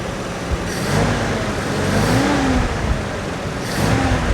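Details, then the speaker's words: 1985 Nissan 4x4 truck that sat for years, running, charging with oil pressure: runs and picks up cleanly through light revs, no knocks, misses or stumbles; normal running. "Now that we know that it runs and runs great, charges, has oil pressure, most of the lights on the dash come on."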